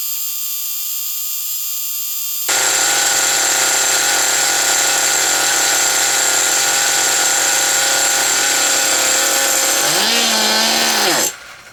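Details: Original first-generation HPI Nitro Rush nitro RC car started after many years sitting, run about five minutes to burn off old fuel left in the tank: steady high-pitched scream, then blips and cuts out cleanly; running strong and even. Exhaust leaks noted.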